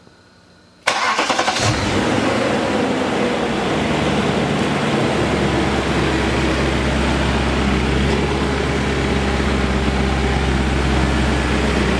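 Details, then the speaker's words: BMW E39 M5 S62B50 V8 after connecting rod bearing replacement, odometer about 171,708. It cranks quickly, catches instantly and settles into a smooth, steady idle with no knocking or ticking. Normal start and idle. "fantastic sounds great makes tons of power ask us how we know there you go"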